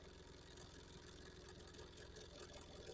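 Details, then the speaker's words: 3D-printed power rotor spinning: steady low whir with faint uneven rubbing buzz; screw used as bottom pivot drags, noise gone when running on the rotor bearings alone; fix is replacing screw with a ball bearing. "see if I hold that and just let it run on the bearings inside the rotor doesn't make that noise I got to change out that screw for a ball bearing"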